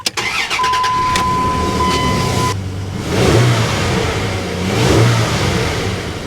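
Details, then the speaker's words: 2002 Dodge Dakota 3.9L Magnum V6 after a new serpentine belt and tensioner pulley to replace a bad pulley: cranks, catches, settles into an even idle with light revs, no squeal or chirp; normal belt drive. "everything sounds good it's running nice and smooth no noises no issues should be good to get back on the road"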